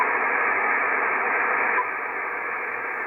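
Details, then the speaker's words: Icom IC-7300, no antenna: steady hiss drops to a quieter level about halfway as preamp 1 is on and IP+ disabled, judged the best lowest-noise setting; clean low receiver noise floor. "it seems actually that best the the best position for that rig is to operate it with the first amplifier on and then the IP plus disabled"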